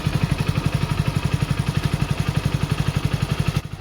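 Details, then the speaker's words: Hero Splendor Plus BS6 after a tappet adjustment fixed excessive engine noise: a steady, evenly spaced idle thump with no ticking or top-end clatter; it runs clean and healthy. "तो देख सकते हैं फ्रेंड्स, हमारी बाइक का साउंड था जो बिल्कुल एकदम ठीक हो"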